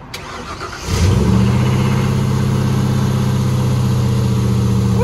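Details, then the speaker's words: 1996 Ford E-150 Club Wagon 5.8 after fitting a new starter and solenoid (the fault was the solenoid, not the starter): a short crank, then it catches within a second into a steady, even idle. "okay all right it turns out it was the solenoid so we put a new solenoid on there a new starter"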